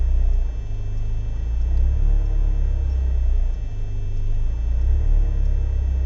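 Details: BMW 318is E36 coupe, M42B18 engine: deep, uneven idle rumble swelling and sagging every few seconds, with smoke. Same cold or warm. No leaks, ICV and MAF cleaned, fuel consumption higher. Rough idle, cause unknown.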